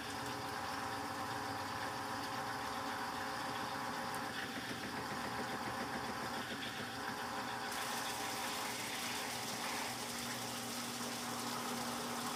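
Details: Electrolux LTC15 washer washing sneakers on stain-removal program: steady even whir of drum spinning with water spray and hiss, no knocking or scraping; normal spin, foam from behind basket normal.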